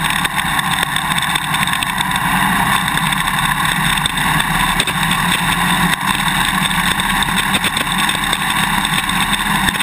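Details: GoPro Hero 2 mounted on a motorcycle swing arm while riding: rapid irregular clicking over engine and road noise. The quick-release buckle is rattling in the mounting bracket; electrical tape between them stops it, and drinking straws seem to work as well.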